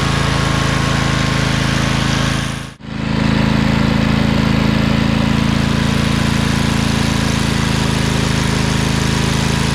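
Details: Craftsman LT2000 lawn tractor repowered with a Briggs 20HP Intek V-twin, owner suspects a blown gasket. After about 10 minutes with PTO engaged: steady, even drone at constant speed, no miss, knock or surging, no smoke. Normal running.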